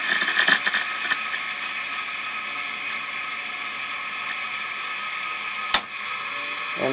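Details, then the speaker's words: WWII ARR-7 / R-45 aircraft receiver motor sweep tuning at fairly slow speed: even hiss with stations chirping past, then sharp clunk as drive reverses at the cam stop; sweep mechanism working normally. "and now it'll return go the other direction and you can hear you can hear the different signals as it sweeps past them"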